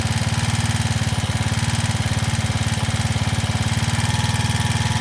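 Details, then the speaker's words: Janus Halcyon 250 single-cylinder after fitting a 28mm Nibbi carburetor, throttle cable slackened at the adjuster: idle is racing, a quick steady chug well above the 1500–1600 rpm target; cause suspected, not confirmed. "Yeah, you can hear the idle is now racing."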